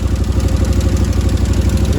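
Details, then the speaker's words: 2013 Can-Am Maverick 1000R idling after oil added: loud rapid chuffing on each firing pulse from a bad exhaust leak; rear header flange barely bolted, with a bolt about to fall out. "a pretty bad exhaust leak right there."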